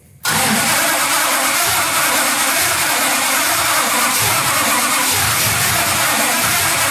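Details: Fake 1969 Dodge Charger Daytona, sitting unused, chokes tried on and off, plugs possibly fouled: steady starter churning with no firing; cranks but won't start, cause unconfirmed.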